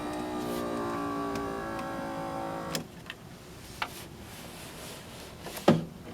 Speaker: So what the window's been doing is it's been being pushed up and down by the actual piece of metal down here for the window regulator, when it's supposed to be fitted on this.